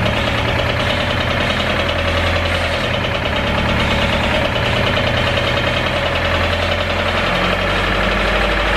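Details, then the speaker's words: Honda Civic EK with worsening rod knock that stalls after the drive home: rough, uneven idle with a deep steady knock keeping time with engine speed. "so the EK as you guys know the motor is knocking pretty bad it actually got worse"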